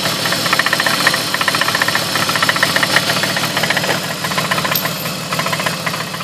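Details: 2003 BMW E46 petrol engine revved slightly above idle: sharp regular knock about four beats a second from the front of the engine; owner suspects the slightly leaking water pump; rough idle persisted after new spark plugs. Cause unconfirmed.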